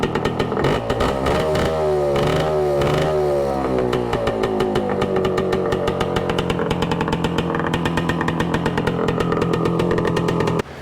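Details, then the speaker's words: 1966 Suzuki Bearcat 120cc two-stroke, warming up to find an oil leak: crackle rises and falls with blips, then settles to an even steady idle once warmed; normal warm idle and revving. "It's settled down a bit now that it's warmed up a little bit. Sounds good."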